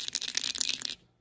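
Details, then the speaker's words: 2007 Lexus GS350 dash speaker removed: quick dry papery rattles, a dozen in under a second, from a detached speaker dust cap loose inside; rattle to be fixed. "you see that thing that came loose so we got to go in there and fix that"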